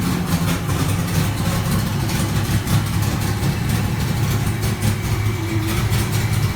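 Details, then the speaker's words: 2000 Camaro SS V8 after cold start; deep steady burbling idle with even low pulse, no knocks or ticks; idling healthily from cold. "i got a little bonus clip of a cold startup that i had done a few days ago on the car so you guys can actually hear it"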